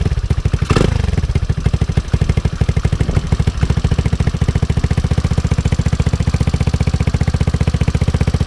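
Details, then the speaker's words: GY6 150cc Yamati Strada scooter with a Rolling Wrench/Taida 171cc big bore kit (61mm forged piston), 28mm slide carb and slip-on exhaust, just started without choke: deep even idle thump with a steady exhaust beat after a brief blip, no knocks or misses. "Sounds fairly good if you really think about it. In person, it sounds pretty good. It's more of a deeper tone to it."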